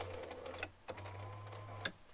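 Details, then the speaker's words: 2007–2012 Ford Expedition/F150 driver window after a frosty morning: motor hums steadily in short runs of about a second but the glass doesn't move up or down; broken window regulator cable. "now you can hear something is going on the motor is working but the window doesn't go up and down"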